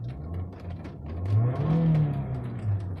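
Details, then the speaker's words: Nissan Altima that wouldn't start, after replacing the key module fuse box behind the cluster: steady low engine rumble with a brief smooth rev rise, no knocks or misses; engine starts and runs normally. "well at least the cars start here car start up fine radio works pc works everything works"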